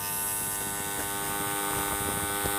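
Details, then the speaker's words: JGY 370 12V gear motor, the 40 RPM unit running on 12V and drawing about 1 A under load, still unstoppable by hand: steady even hum with light brush buzz and no gear noise; the owner thinks grease keeps the gears quiet. Normal brushed motor hum. "लेकिन यह भी stoppable नहीं है sound इसका सिर्फ ब्रशस में से आ रहा है गयर के पास इसका कोई साउंड"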